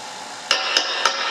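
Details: Fender Blues Junior III, tube being tested in the first 12AX7 preamp position, a 5751: each light tap sets off a high bell-like ringing ("tinnitus") through the amp. The tube is microphonic and unusable.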